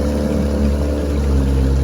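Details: 1968 Evinrude 9.5 HP outboard under load on a lake test run after repair: deep, steady, even drone with no misses, knocks or surging; pulling smoothly and healthy, ready for its owner.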